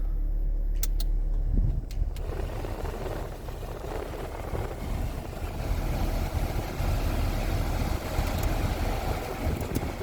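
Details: Salvage 2002 Toyota Corolla LE, checking the AC: the starter catches, then a steady low idle as the compressor load settles in evenly. The air conditioning works and it idles normally.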